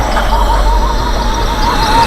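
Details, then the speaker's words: Mercedes R129 SL500 V8 idling, runs rough until warm: low rumble with thin wavering whistle; spray test checks for a suspected vacuum leak at air intake hoses causing rough idle. "all right guys so that's how you um can help double check and knock down some of this misfiring and roughness and idle for these vehicles"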